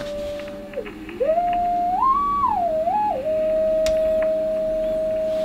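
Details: Drake TR7 transceiver after non-locking VCO repaired with a BB109G substitute diode, PLL now locked: clean tone glides up and down as the dial is tuned, then holds steady; receiving normally, passband tuning setting still off.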